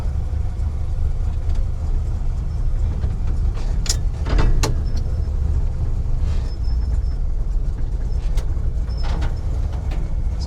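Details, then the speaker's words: 1969 GMC truck with small-block Chevy, first real test drive in 30 years, charging about 13 V: steady low engine rumble under road noise while driving, no knocks or misses; motor runs good. "good. Motor run good."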